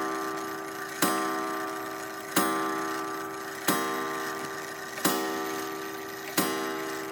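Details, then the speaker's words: Gilbert long-drop octagon clock, rebuilt and rehung on the wall, striking in the vertical position while the hands are run around: a clean, mellow single chime about every 1.3 seconds, each ringing out smoothly. Healthy strike. "go ahead and run the hands around a little bit to see how the strike sounds with hitting in the vertical position now it's a very nice mellow tone"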